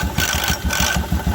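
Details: 2016 Royal Enfield Electra 350 single-cylinder at idle with clutch cover opened, sharp metallic rattling bursts over the thump from the clutch side; a worn clutch-side bearing is suspected.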